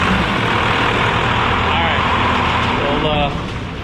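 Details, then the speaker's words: Ford F100 "Gold Dust" cranking after fresh batteries were installed (XS Power A3400s): quick, steady cranking with a strong even churn and no slow dragging, far faster than the earlier slow tick-tick cranking; normal healthy cranking. "Woo! You guys heard that? That was super fast. It used to be like tick, tick, tick, tick, tick."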